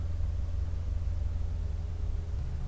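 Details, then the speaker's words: RV water pump restarted after faulty PEX-to-vinyl flex tubing fittings were fixed; they previously leaked air and dripped. Steady, even low hum with no surging or chatter as it builds pressure; normal pump running. "turn my pump back on turn some water on so the pump is building pressure right"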